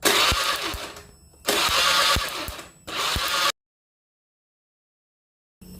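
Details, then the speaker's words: Honda Beat FI scooter that would not run, no spark and no injector spray, after fitting a replacement K25 ECU, ignition on: three short bursts of brisk, even starter cranking; starter turns over normally and coil spark now appears. "Oke, saya on-kan kontaknya. Oke, saya lakukan starter."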